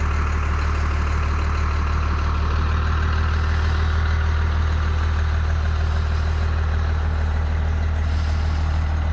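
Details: 1992 Dodge W250 5-speed, 12-valve Cummins diesel, 288,429 km, with muffler and resonator, just started after wait-to-start: steady, even low diesel clatter at idle with no misses, knocks or surging; normal first-gen diesel idle.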